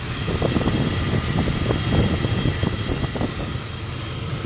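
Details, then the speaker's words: Carbureted 5.3 LS swap truck, daily driven, MSD 6014 ignition box installed May 2019 failing after under 10k miles: lumpy misfiring V8 idle at about 20–21:1, improves revved but still missing. "it actually gets a lot better but it's still missing quite a bit okay so we've got a little bit of diagnosis to do you can easily hear a misfire"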